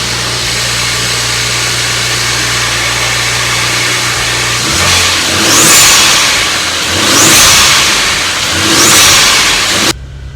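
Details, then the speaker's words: BMW E36 with N54 swap, new X20 harness just installed, spare accelerator pedal, fuel pump running full time: smooth steady idle then three clean even throttle blips; sounded good idling and when raced, before a test drive chasing boost loss. "It sounded good when I had it idling, and then I raced it with the pedal."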